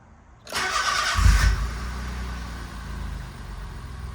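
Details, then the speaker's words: Kei car after spark plug replacement, fixing a weird thumping firing noise: brief crank, catches cleanly and settles into a smooth, much quieter even idle with no thumping; normal start and idle. "so I noticed the weird thumping sound isn't really there and it's much it's much quieter"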